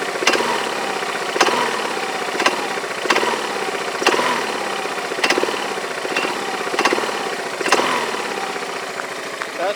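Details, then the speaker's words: Yamaha Majesty scooter idling on the lift with the parking brake on: a sharp metallic clank about once a second, irregularly spaced. The owner suspects the CVT clutch, is unsure whether it is normal, and plans to inspect the clutch and shaft. "noise I'm hearing what is that doublet when I come down it's like metal-on-metal but that sounds like smelling metal-to-metal what does normal I don't know I don't that's normal or not but that's the noise I hear"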